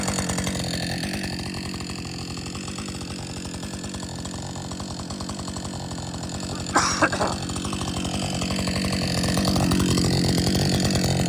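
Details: Husqvarna 562XP chainsaw, after the shop reflashed its software for dying when hot and stumbling, warm after a lunch break and refuel: steady, even idle with regular firing pulses and no stumbling or dying; normal idle, better than it has run in a long time.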